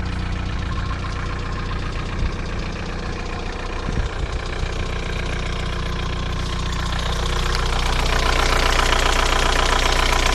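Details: VW TDI 90hp diesel idle with a quick, regular tick about three per second following engine speed; began the day after a 600 km trip and has lasted 5 months. Lifters and injectors replaced, oil pressure OK, oils changed; owner suspects wrist pin play.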